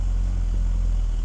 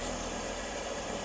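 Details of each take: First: BMW E46 330i on a cold start: the idle lopes, the rumble swelling and sagging about twice a second. Unplugging the mass airflow sensor made no change, and a dirty idle air control valve is suspected, to be cleaned. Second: BMW E46 330i, engine running before crankcase vacuum test with manometer on oil cap: brief soft, even idle with no knocks or misses, smooth sewing-machine purr; engine running healthy, no exhaust smoke.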